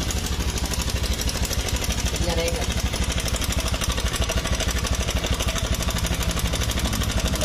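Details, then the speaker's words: Honda Scoopy (2017–2018) scooter engine at idle: harsh, fast metallic rattle ("crakakak"), not a round smooth sound; owner suspected the CVT area, mechanic suspects a loose cam chain (rantai keteng). Unconfirmed. "ini kalau suaranya seperti ini ini ada lantunan suaraak Cak crakakakakak ya Jadi suarnya tidak e tidak tidak bulat melainkan dia seperti rantai keteng kendor ya"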